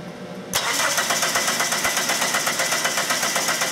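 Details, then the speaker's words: 1997 Dodge Neon 2.0 L after transmission replacement: even starter cranking, never fires; test light shows no spark, code P0320 no crank reference signal; cause broken wires at crankshaft position sensor connector, fixed by wiring repair. "Okay, as you can see, we have no spark. So, we're going to start chasing this for a no spark problem."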